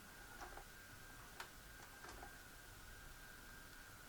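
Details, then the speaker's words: Magnavox MVR440MG-17 4-head mono VCR that ate tapes, after repairing the mode select switch and realigning the main transfer gear: soft clicks as the tape threads, then a faint steady motor hum, no stall or shutdown. Normal tape load and play. "and it's playing that's awesome it did not shut down"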